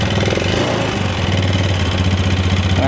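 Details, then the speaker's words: Yamaha Xeon 125 carbureted scooter, hard starting, low power, no smoke: rough idle with quick tek-tek tick; suspected piston or worn bore, not confirmed. "itu ada suara ceker pedas tapi motornya itu nggak ngebul yo gak ngebul cuman ada suara tek tek tek terus tenaganya agak jeruk bambu ya"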